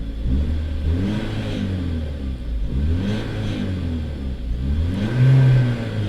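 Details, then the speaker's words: 2010 Chevrolet Corvette Grand Sport, about 200,000 miles, at salvage yard, clutch or slave/master cylinder fault suspected: in neutral with e-brake on, three clean revs rising and falling smoothly, no knock or misfire; engine healthy. "okay so we'll leave it in neutral I'll keep the e brake on give it a few revs"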